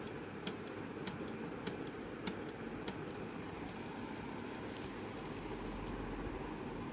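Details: Sony DVD player not reading a CD: sharp mechanical clicks about every half second over a faint hiss, then fading; drive mechanism struggling, mechanical noise and disc not read.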